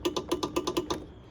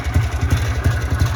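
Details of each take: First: 2004 Trailblazer 250 two-stroke not starting: about eight quick sharp clicks at roughly eight per second, then silence, no cranking; clicks but won't start; fault was a bad key switch. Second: Trailblazer 250 two-stroke whose no-start was traced to a bad key switch, now with new key switch: crisp rapid popping settling into a steady run with light blips, no misfire or clatter; healthy.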